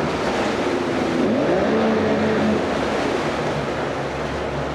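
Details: 1995 Mercury 60hp two-stroke Bigfoot outboard, 20in shaft, oil injected, compression 115 on all cylinders, running on a stand and warming up with lots of water splash; steady, even and healthy, slight rattle from the shutter-off arm.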